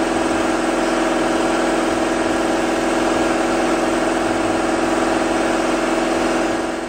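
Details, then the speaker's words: '78 Camaro Z28 V8 idling with a steady mid-pitched whine riding over it from a gear-drive timing set and cam instead of a timing chain; the gear drive later failed and the car died. "You hear that whining sound? The engine had a gear drive and cam instead of a normal timing chain set."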